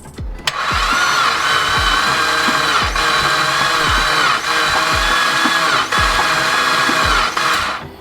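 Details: Blown Mitsubishi Evo X cranking during a compression test with the plugs out and the throttle floored: a steady whir with soft, irregular thumps, no clanks. Readings are about 100, 20 and 0 psi; the owner suspects timing way off or a valve problem, so the engine must come out.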